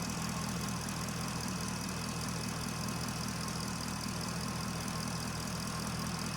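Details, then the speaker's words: 2011 Chevrolet Corvette 6.2L V8 with P0300, check engine light and major power loss; fuel pressure 60 psi. Warm idle sounds mostly smooth with a faint, occasional stumble: a minor intermittent misfire. "This engine sounds good though. like sounds pretty good. Interesting. There's there's a there is a minor misfire like a tiny uh fishbite misfire."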